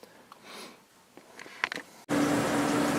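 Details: Old Whirlpool Accudry 40-pint dehumidifier rated 6.8 A, with a reciprocating compressor: a few quiet knocks, then it switches on into a steady airy rush with a faint low hum. Normal running.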